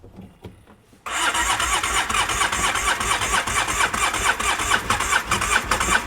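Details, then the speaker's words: Used two-cylinder ATV with one cylinder low on compression, cranked again on the starter: a steady chug of about two pulses a second that never catches; cranks but won't start, needs a top end at minimum. "I'm scared. Nope, she ain't about that action. So it looks like on this one, we're gonna need a top end at minimum."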